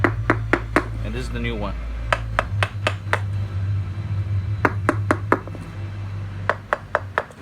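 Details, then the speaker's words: Removed hydraulic engine mount from a 1997–2003 Mercedes CLK320, busted with its fluid emptied out: tapping gives a hollow, dead knock, night and day compared with the new mount. "you can hear I'll Hollow this one this is the bad one you can hear how Hollywood is"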